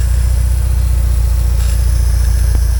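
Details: 1979 Porsche 924 idling while warming up after fuel filter, pump and strainer work: steady, even low throb with a quiet fuel pump, no whine, and only a faint light clack judged not serious.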